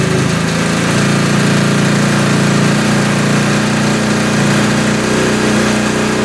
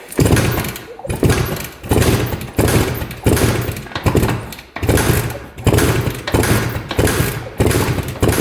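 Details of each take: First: 1971 Suzuki T500 500cc two-stroke twin, rebuilt but then sat for years, first start: rough, wet, blubbery idle as the left carb floods, pouring fuel straight into the cylinder; a stuck float is suspected. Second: 1971 Suzuki T500 500cc two-stroke twin, sat 22 years: kick-over compression test with throttle open, even firm pulses about 1.5 a second, reading about 142 psi on one cylinder and 150 on the other; good compression.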